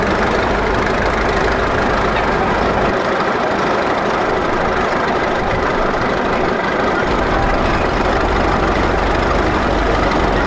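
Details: 1941 Caterpillar dozer that sat for years, started via pony motor: steady, even diesel rumble at low idle with no knocks or misses. Pushing the lever forward shuts it down, so it only idles. More fuel needs that stuff cleaned out. Normal idle.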